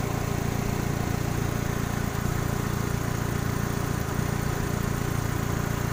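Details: 2000 Kia Sephia: rough, lumpy idle about three beats a second with occasional stumbles; cylinder misfiring at idle, spark plug suspected, not confirmed.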